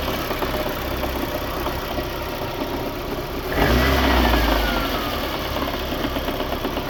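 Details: VAZ 2110 8-valve engine at idle: dull knock around three per second that swells briefly with a throttle blip, source not pinned down; engine knock.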